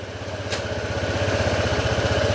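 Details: Honda ADV160 scooter after camshaft repair fixed a noisy, rattly engine: quick, even firing pulses near twelve per second with no knocks or rattles; normal idle.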